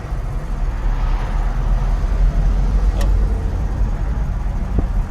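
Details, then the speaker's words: 1955 Studebaker Commander, 259ci V8 with blow-through carburetor, cruising at 40 mph with no issues: steady, even low rumble without knocks. "going 40 miles an hour right now with no issues at all"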